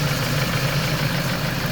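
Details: Warm idle after a coolant bleed, with the earlier pulley chirp gone: a steady, even hum with no belt or pulley singing, so the engine sounds healthy.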